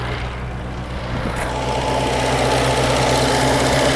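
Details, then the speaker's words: 1998 Reliant Robin Mk2 barn-find petrol engine ticking over at a steady, even idle, soft regular beat, no misses or knocks, after carburettor rebuild and throttle return fix; no leaks, run briefly without coolant. "No leaks. I'd say that's a success, guys."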